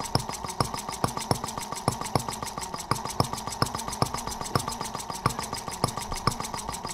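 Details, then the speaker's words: Microcosm R18 model engine, patterned on 1886 Benz Motorwagen engine, first run after tweaking: crisp even pops about seven per second, steady, very smooth with virtually no vibration; slide valve must stay lubricated or vacuum leaks. "Amazingly smooth. I mean, super smooth running. I mean, virtually no vibration at all."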